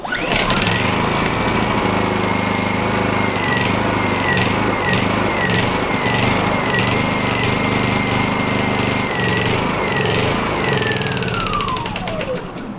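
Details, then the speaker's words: Honda EU2000 companion generator: runs rough with wavering, hunting pitch, okay on choke but won't idle with choke off, then winds down at shutoff; owner suspects plugged jet. "It's idle and rough. So it does okay with the choke on, but as soon as you shut the choke off, it won't even idle right now."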